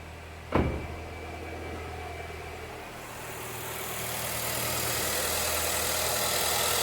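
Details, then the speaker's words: Nissan Sentra with 131,300 km, after repair of a chronic misfire: ignition coils replaced and check-engine light fault memory cleared. Petrol engine now idles normally with a steady, even hum after one sharp click, then a rising hiss. "esse defeito já solucionamos já tá concluído motor tá funcionando normalmente"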